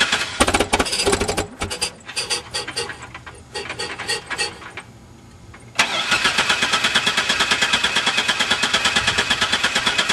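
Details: Van cranks in choppy bursts then steady fast cranking about three beats a second, never fires; no-start while cranking, cause unknown.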